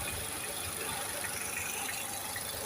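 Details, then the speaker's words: Dacia Logan MCV 1.6 16v 105hp petrol, just started, heard with bonnet raised: soft, even idle hum barely above background hiss, no knocks or ticks; quite quiet, normal healthy idle. "Bun, hai să vedem dacă se aude motorul ăsta cu capota ridicată. Destul de silențios."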